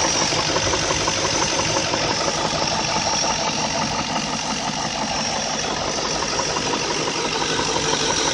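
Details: BMW E38 with M62 V8 at idle: light, fairly even ticking knock up top from the VANOS variable valve timing, not true detonation. Finding: VANOS knock at idle.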